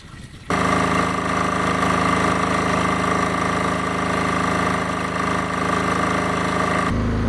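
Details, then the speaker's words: Newly installed auto-start diesel generator for an off-grid farmhouse, just started on fresh diesel after repair. It catches and settles into a smooth, quiet, even hum with steady pitch and no knocks, running healthy. "it lives you can probably hear it humming away in the background there and it's pretty quiet actually"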